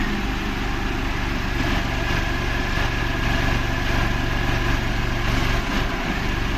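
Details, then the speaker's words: Renault Kwid idling with the AC on, fuel pump already replaced, check engine light on: a lumpy idle beat about four times a second with occasional stumbles from a third-cylinder misfire that is normal with the AC off; the cause is unconfirmed. "And same problem कर रहा है जैसे मैं अभी दिखा दूंगा AC चलाती फट फट फ मिस फायर कर"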